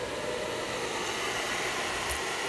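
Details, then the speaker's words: Air Venturi 4,500 psi high-pressure air compressor on 120 volts, just switched on: even, steady airy rush with a faint constant tone and no knocks or rattles; the cooling fan is running normally. "hear the fan. You hear the fan running."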